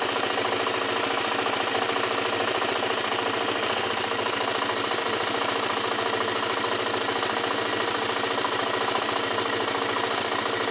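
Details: Suzuki LTZ 400 quad engine idling with a fast, light ticking about three per second riding over the run; cause of the tick unknown.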